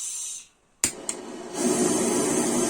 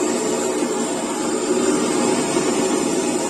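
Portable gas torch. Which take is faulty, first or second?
first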